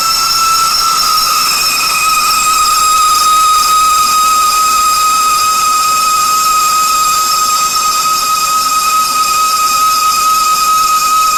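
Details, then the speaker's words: Lathe hogging high-impact ductile iron marine engine coupling in a four-jaw chuck, eighth-inch-per-pass cut, compound tight: clear steady high-pitched whine over machine hiss; tool singing. "because they're kicking out just a little bit farther we're getting that line okay we're not gonna be able to listen to that wine all the time"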